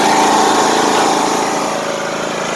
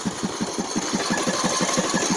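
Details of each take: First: Craftsman T150 riding mower, single-cylinder engine already warm, idling on low rpm just after an oil change: low, steady, even note with no knocks or misses; healthy. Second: Old, neglected Craftsman T150 riding mower before an oil change, idling and smoking heavily: uneven thumping beat, roughly five pulses a second, skipping and stumbling; misfire and knock blamed on lack of oil.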